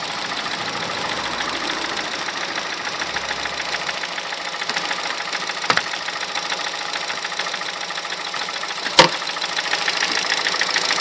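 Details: 2006 Honda Civic Hybrid 1.3 IMA idling with a light, fairly fast ticking knock through a busy upper-end clatter. The knock goes silent above 2200 rpm. The owner wonders whether it is the camshaft, valves, bearings, timing chain or piston slap.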